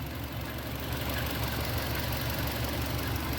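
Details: Hyundai new Santro petrol engine at 890 km idling roughly with uneven low thump, misfire and overheating from coolant leaking into cylinders and mixing with engine oil; engine light on; head to be removed.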